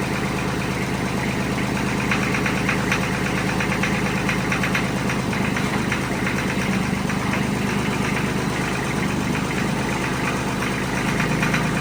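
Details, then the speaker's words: Mahindra diesel tractor at idle just after reassembly, with fast, light ticking at roughly three per second; valve tapping, owner hoped for a lifter needing to pump up but expects the valve adjustment needs checking. "now all that tapping noise that it was making what do you have to do to clear that I'll have to go back in and check the adjustment on the valves"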